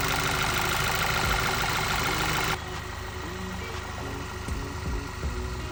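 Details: 2011 Volkswagen Eos 2.0 TSI after OEM PCV valve and timing cover gasket replaced to fix vacuum leak and misfire: steady, even idle with no stumble or hiss; engine running smoothly.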